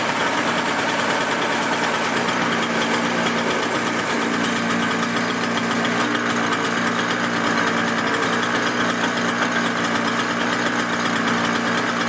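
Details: Toro CCR 2000 snow blower, season prep, primed and started on choke: steady high-pitched two-stroke buzz holds an even, unbroken beat for twelve seconds without stumbling or dying; starts and runs fine.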